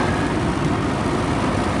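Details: Newly installed Master Flow 1450 CFM gable-mount attic fan (EGV5), thermostat-triggered around 60°F attic temperature in winter: even, steady rushing roar with no knocks, rattles or wobble; running smoothly.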